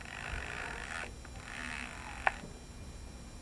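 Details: Arrma Sentalion RC car in cold, light snow after hard ramp jumps that broke the wing mount brace; owner notes the servo doesn't sound great: quiet background, then one sharp short click at about two seconds; cause unclear.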